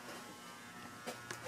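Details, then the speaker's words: Antique Diehl ceiling fan, early-to-mid 1900s, 40-cycle motor, pull-chain speed control, on low speed: soft, even motor hum with a few light ticks. Normal on low; strange noises and too slow on high. "so low speed seems to be pretty normal um doesn't really Act very strange on low but when you get to the higher speeds you'll start hearing the crazy noises it makes"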